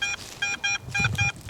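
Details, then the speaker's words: Garrett AT Pro metal detector in Pro Mode with a double-D coil on a trashy old home site: crisp mid-pitched beeps about four times a second, same pitch each sweep; repeatable target signal, about 6 in deep. "r is repeatability and try to find a Target that has a good consistent sound and when I find something like that then I'm going to home in and try to dig that Target"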